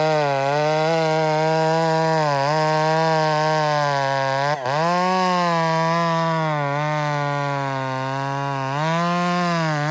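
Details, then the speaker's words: Old spare chainsaw with muffler header into a can, bucking a big log: screaming cut with pitch dipping and surging every couple of seconds, running erratically; owner suspects an air leak. "You hear that saw's acting right up. E, it's got an air leak somewhere."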